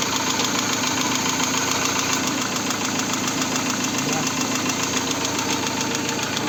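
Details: VAZ 16-valve engine, hot, knocks at about 400 per minute with low hot oil pressure (0.9 at idle, 1.5 at 2000, 2.2 at 3000, 3.0 at 4000 rpm) despite new camshafts, oil pump, all bearings and lifters. Sharp regular knock at idle, cause unknown.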